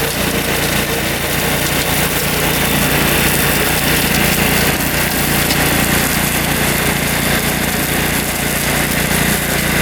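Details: Riding mower with a freshly installed Kohler Command engine, believed 14 hp, new battery, test run mowing, fast in third gear: steady, even engine drone with no misses or knocks; running healthy.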